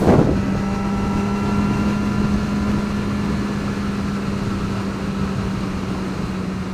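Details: 2009 Yamaha R6 holding 7,000–8,000 rpm with a droning rattle/buzz; cause was a loose washer between the crash cage and engine mounts, and removing it stopped the noise.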